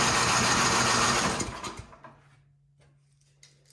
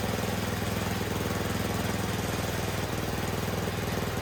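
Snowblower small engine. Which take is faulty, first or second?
first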